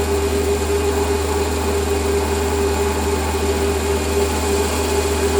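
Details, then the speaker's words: Lathe running with its newly fitted stepper-motor power feed engaged: a steady even hum with no howl from the feed motor, which used to howl; the quiet feed drive is normal and healthy. "So start the lathe up, start the feed up. And now we can't hear the feed motor. We used to be able to hear it howling away."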